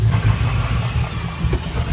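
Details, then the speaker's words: 2001 Chevy Silverado 1500 5.3 V8 idling rough with a loping, stumbling misfire that worsens as it warms. Lean codes on both banks and multiple misfires; new plugs and wires didn't help; the cause was a cracked EGR tube. "So you can see, like, look how rough that is."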